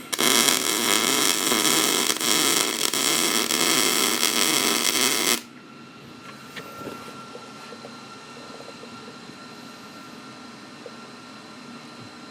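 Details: MIG welding a repair on a 1988 Chevy Silverado frame after slowing the wire speed and lowering the heat: steady, even frying crackle for about five seconds, then the arc stops. Bead sounds normal.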